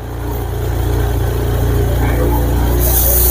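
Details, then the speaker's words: 2021 Honda Scoopy that stumbled under throttle with no MIL lit, after the DTCs were cleared and the ECM reset; throttle is opened slowly while watching RPM data, and the engine pulls smoothly from idle with no misses, running normally now. "Kita gas dulu perlahan-lahan. Nah, ini grafiknya sudah mulai naik. Ini Scoopy sudah terasa normal."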